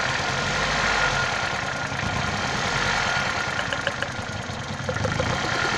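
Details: 1996 Toyota Caldina ET196 with the 5E-FE petrol engine, a year after overhaul with new crankshaft and bearings. A sharp, uneven knock about three per second over the idle; source unclear.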